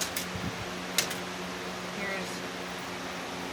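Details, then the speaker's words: Lasko Cool Colors box fan, 2018–19 and about 2–3 years old, with a new replacement blade: steady air rush over a low hum; fan runs normally. "level two or speed two quiet one which is not really that quiet but it's good enough this blade's a little off balance as you can tell it's definitely shaking a bit"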